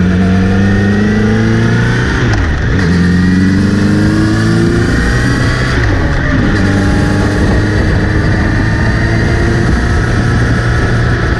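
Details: Kawasaki Z900RS: after cleaning and relubing the chain, a thin whirring rises and falls with revs over the engine drone when accelerating or in gear. It seems to come from the front sprocket area; chain is clean and correctly tensioned, cause not found.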